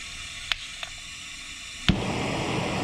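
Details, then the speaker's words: Parkside (Lidl) gas weed burner, new, gas turned on: two sharp ticks of the piezo trigger spark, then a pop and steady rushing roar as the burner lights cleanly. "So now the gas is now turned on. And you pull the trigger and then that will ignite the bottom."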